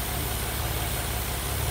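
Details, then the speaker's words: Nissan VQ35HR V6 with P0300, P2A03, P2A00 codes: uneven, lumpy, stumbling idle from multiple cylinder misfires after coils were checked; cause an air leak in the intake plenum, heard as hissing. "cylinder misfires shoe and really really rough doing the petal dance a few times and idle recess"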